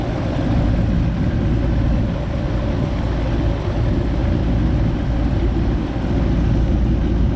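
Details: Goodman AC unit after replacing a bad 45/5 MFD capacitor (before, only the fan ran, compressor not starting, not cooling): steady low hum with even fan rush, no surges or clatter; compressor and fan running normally, high-side pressure somewhat high.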